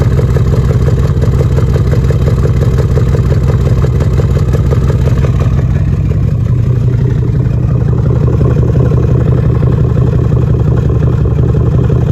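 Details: 2013 Jeep Grand Cherokee idle stumbling, regular clattering tick about three per second over exhaust, with smoke; cylinder 5 left-bank misfire, P0305, bad lifter and camshaft.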